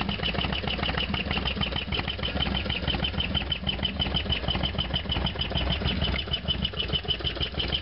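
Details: Harley-Davidson FXDX V-twin, idle after a cold start (not run since yesterday); fast sharp ticking about two per second over a loping idle, loud top-end tick, cause not pinned down.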